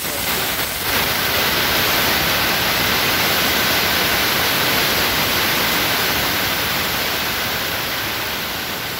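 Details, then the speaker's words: BluDot RV air brake system, tank drain petcock opened: loud steady rushing hiss, brief sputter at the start, easing as pressure falls; ice crystals form from the cold escaping air, and wiggling the valve clears them; normal draining. "when you open up the tank pressure because in the air rushes out real quick it's super cold that makes ice crystals"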